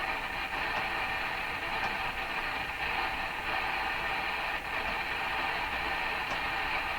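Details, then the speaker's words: Hammarlund SP-600 receiver after reconnecting a loose lead, on a garage-floor wire antenna near 17 MHz: steady strong station audio over light static, no crackling, dropouts or fading; reading 60 dB above one microvolt, reception restored. "it's back Hallelujah okay so it's picking up uh 60 DB above one microvolt on a piece of wire laying on the floor in my garage"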